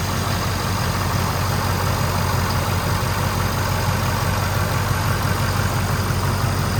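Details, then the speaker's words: 2011 Ford F-350, 6.7 Powerstroke diesel, idling just after new intercooler piping was installed: steady, deep, even drone, noticeably louder, said to sound like a 6.0. No knocks, misses or whine, a normal idle. "yeah it made the engine it made the engine sound like way louder it's like it sounds like a 6-0 under that"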